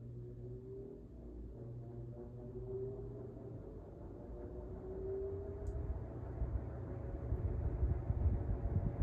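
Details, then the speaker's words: 1999 Lasko 3733 three-speed box fan, cleaned, run-up on speed one (speed two broken, same as one): low hum climbing gradually in pitch and loudness, steady and even, no rubbing or clicking; normal low-speed motor run-up. "Let me just plug it in. Um this fan is slightly broken after so much use. One and two um are now the same. So, the second speed is broken. So, you'll hear the motor accelerating."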